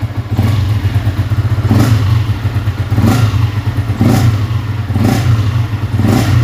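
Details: Yamaha Y15 with freshly installed 63mm big-bore top set, timing set roughly and air adjusted but not fine-tuned: deep single-cylinder thump with a throttle blip about once a second; runs fine, just untuned, before dyno.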